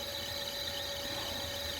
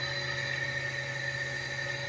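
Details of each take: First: Carrier EcoBlue axial ECM fan motor (460 V) driven from a VFD, ramped 20–40 Hz with fast acceleration; steady high squeal over constant hum as it nearly loses sync and runs rough. ECM motor rough running near loss of sync. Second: Carrier EcoBlue ECM axial fan motor (460 V) driven experimentally from a VFD at about 60 Hz: steady, even hum with constant high whine, no knocking, wobble or rubbing; runs smooth after losing sync at lower frequencies.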